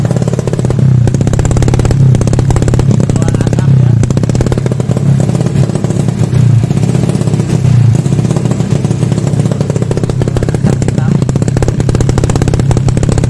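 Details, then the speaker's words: Carbureted motorcycle with oversized main jet set rich: runs with a heavy, thick, slightly boggy note at steady throttle; rich running from oversized main jet. "Hai itu contoh main-jet saya setting boros ya gan ya jadi suaranya antet gitu ya"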